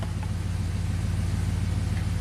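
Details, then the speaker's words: 2004 Pontiac GTO, 5.7 LS1 V8, 34,000 miles, after replacing a bad spark plug that caused a misfire: an even, steady low rumble with no skips, a smooth idle firing on all cylinders, and misfire counters show no more misfires. "See, this beast fires up and runs super smooth."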